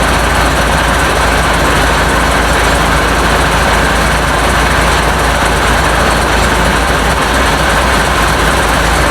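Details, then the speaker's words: International DT466 diesel swapped into a 1966 Ford F250, first cold start after fuel priming: loud, steady unmuffled idle with even clatter and a deep constant rumble, no knocks or misses; oil pressure unchecked, runs really good. "but anyways you see it running it runs really good"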